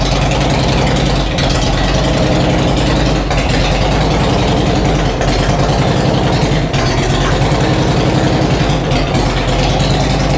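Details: Harley Road King V-twin with new cams, not yet tuned for them, idling in garage after first start: loud, lumpy even-beat idle with no clatter over the exhaust; valve train quiet and normal.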